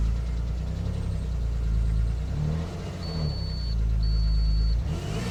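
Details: GT 3.2 V6 on a sub-zero cold start, revving unevenly with a thin high-pitched buzz cutting in twice for under a second, poor throttle response at the same time; buzz source unclear.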